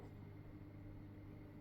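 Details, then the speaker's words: Weipro TC-900C 600 L/h internal aquarium filter running in the tank, with the earlier vibration gone once moved off the glass: faint, even low hum, no buzzing or rattle; motor quiet and smooth while moving much water. "But there's no there's no actual noise from the motor as such. Hear this. Listen. Nothing. Not a bean. And it really is moving some water around."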